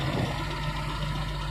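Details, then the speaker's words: Used 2005 Suzuki Carry Futura pickup at idle: steady, even low rumble with no limp, misses or metallic noises, and still smooth when revved; no white exhaust smoke and the oil looks good. Normal idle. "kondisi mesin stasioner sosok suaranya masih langsung masih enak nggak pincang kalau kita geber kalau kita geber pun dia masih suaranya masih enak jadi nggak ada suara-suara aneh-aneh kayak metal gitu lah ya"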